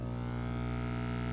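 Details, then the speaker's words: Opened Whisper 60 aquarium air pump that failed quickly: a loud, coarse, steady buzz with a deep rough hum. Extreme vibration on one side, worse under outlet pressure, while both sides still pump air. Torn diaphragm suspected. "Extreme vibration on that side. Hardly any on this side. But it is pumping air out of both sides."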